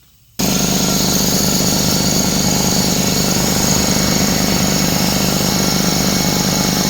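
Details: Craftsman 33-gallon air compressor after check valve replacement fixed leaking through the pressure switch: kicks on sharply and runs with a fast steady pumping chatter, holding even while building to 40 PSI; working normally.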